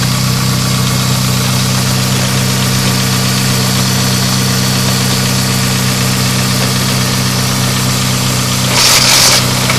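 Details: Vehicle idling just after installing a straight-cut CPL Racing gear set: steady idle with a busy rattling crackle about four times a second over a low drone; cause unknown.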